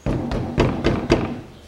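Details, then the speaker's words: 2005 Toyota Passo, 1.0 L automatic FWD, 96,000 km, after refitting the caliper: three dull thuds as wheel is struck, dying quickly with no loose metallic rattle; caliper knock gone. "все собрал вторую сторону никаких стуков суппорта нет то что было это ушло"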